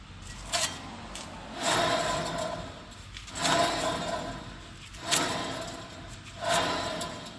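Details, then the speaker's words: 2011 Toyota Tacoma 4WD, 6-speed manual, 1GR-FE, 160,000 miles, front humming complaint: front hub spun by hand on lift gives rough gritty grinding in bursts about every 1.5 s; worn front wheel bearing, unlike a quiet good one. "I bet even most skeptical people are now convinced that that wheel bearing gotta go. So noisy."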